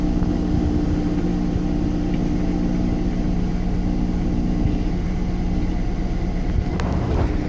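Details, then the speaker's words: Washing machine on spin, after clearing a safety pin jammed in the drain pump: loud, steady low roar of the drum spinning hard and evenly, machine shaking, no knocking; normal spin, clothes come out drier. "yeah that sounds like a washing machine again holy crap it's shaking the"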